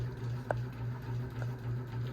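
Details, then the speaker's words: 52-inch bronze unknown-brand Hugger ceiling fan (mixed Harbor Breeze, Hunter and Patriot Lighting parts) on high: a steady low hum with heavy buzz and an odd click while it wobbles badly. "Oh my gosh, this fan's definitely going super crazy right now. This fan's like, I'm done for."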